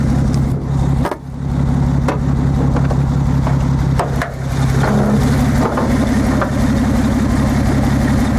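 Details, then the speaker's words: Nissan 280ZX Turbo at warm idle: uneven, lumpy beat with periodic stumbles, engine shaking. Injectors stop working once it heats up; one injector, probably number five, is not firing, and no click is heard from it. "so it's cutting out like that it kind I'll go back to normal and it'll kind of go back and forth a little bit but as you can hear sounds like just one of the injectors is not working right now"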